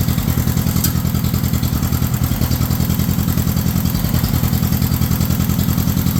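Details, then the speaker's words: 1953 John Deere 40 tractor started on choke in neutral: heavy, lumpy thumping about three to four beats a second with stumbles between beats, running rough; owner blames a carburetor that needs rebuilding, not confirmed. Tested during hydraulic pump rebuild. "it's kind of running like crap though cuz like I said the carb does need gone through"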